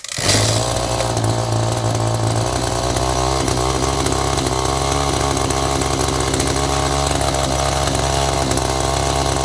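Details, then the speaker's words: Echo GT-2200i string trimmer with an aftermarket carburetor, choke off. Small two-stroke buzzes at a steady high rev with no clear stumble, then dies after a short run. Owner is adjusting carburetor mixture. "and it just conked right out interesting try that again"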